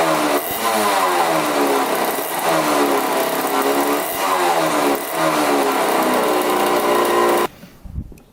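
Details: 1985 Yamaha YZ80 two-stroke dirt bike, first start after rebuild on 41 premix: crisp buzzy revs up and down cleanly several times, then shuts off. Pulls evenly; runs really good.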